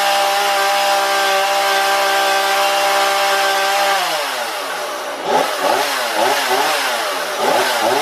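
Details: Husqvarna 235e/240 chainsaw, warmed up, carburetor tuned by ear without tachometer: steady high rev sags and wavers as the chain bites into wood, then recovers; crisp and even, normal running under cutting load.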